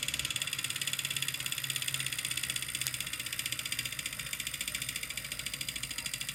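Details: Wahoo Kickr Core trainer: fast, even clicking that keeps pace with the flywheel over a light whir; an abnormal click, source not pinned down.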